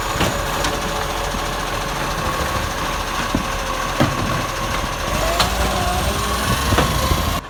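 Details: Loud, harsh diesel idle from an Acco garbage truck (#2538), with a raspy hiss and sharp puffing ticks over the rumble, typical of a leaking exhaust.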